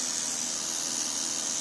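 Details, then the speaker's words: Studio Projects VTB1 preamp after about 30 minutes of use, gain and output at maximum, controls untouched, mic held close: steady hiss with faint buzzy tone; continuous buzz from the unit. "Now it buzzes continuously, as I mentioned. After a while I'm getting this closer so you can hear it clearly in the microphone."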